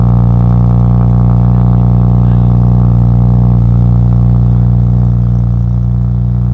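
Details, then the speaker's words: BMW E92 335i manual being rebuilt, first start after work: steady idle with a faint uneven pulse, about three or four a second; slight misfire, possible small exhaust leak at the front, not confirmed. "but i think you might have a slight exhaust thing from the front i don't know if it's exhaust leak i know it's misfiring a little bit"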